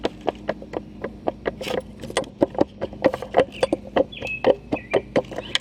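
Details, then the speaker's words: Briggs & Stratton 12-inch surface cleaner, spinner head spun by hand: loose spinner bearing gives a rough, uneven clicking about four times a second, compared with a near-silent, smooth Surface Maxx Pro 15-inch; the bearing is worn. "So, anyways, you can hear how rough that sounds compared to this one here."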